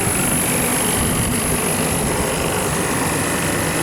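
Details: Milk-cooling refrigeration condensing unit running normally after a burnt contactor was found; loud, steady rush of condenser fan air over an even compressor drone, no chatter or cycling, drawing 14.5 A versus 18 A earlier, pressures still recovering.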